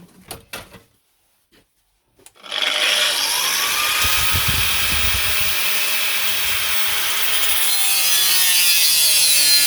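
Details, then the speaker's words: Brand-new Parkside angle grinder on its first job: the bushings spark and it spits and loses power as soon as it is loaded. High, rough whine that sags as the disc bites, the motor trying to conk out; owner suspects bad bushings. "it's hard to hear the noise of the spitting over the noise of the actual motor going. But you hear the motor sort of trying to conk out."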